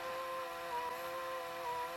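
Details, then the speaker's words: Pye VRD-300L VCR with 1992 Daewoo chassis, rewinding a tape near its end: quiet motor whine whose pitch sags and wavers as the worn drive belt slips and one part spins faster than the other; slipping drive belt. "Belt's starting to slip a bit. You can see that's going a lot faster than that is."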